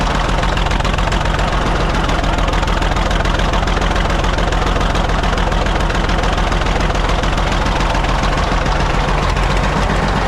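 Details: Caterpillar D8 2U crawler main engine running after its first start, revived after the pilot (pony) motor was sorted: steady, even idle with a deep regular chug, no misses or knocks; motor sounds fantastic, normal running.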